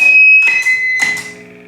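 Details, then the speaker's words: Universal Audio OX Box with an overdrive pedal engaged: a piercing steady whistle near 2–2.6 kHz rides over guitar chords, caused by an overlong speaker cable from the OX Box to the amp at high gain. "It's a horrible noise. Turn it off. Good. Turn on drive."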